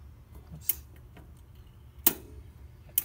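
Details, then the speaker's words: Camp Chef Deluxe Outdoor Oven stove auto ignition, knob turned all the way: three sharp, separate snapping clicks about a second apart; the piezo striker fires as it should. "Click, that's the auto ignition. So it has a little striker."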